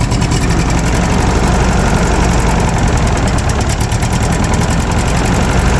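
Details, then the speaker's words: Early-to-mid 1980s Ford 302 small-block V8 on cold start with choke held: a low, loping idle with a sharp puffing tick on every firing pulse. Small exhaust leak, and the idle is set a bit low. "does have a little bit of an exhaust Leake there I have a new one these little clamps for it"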